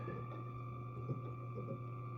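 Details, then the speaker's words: Circa 1956 New Zealand hand-built La Gloria valve radio receiving a station with only a wire-bundle antenna: constant low hum with thin steady electrical whine; the incomplete antenna is suspected as partly responsible; background whine. "But you can hear that constant whine of other electrical noise."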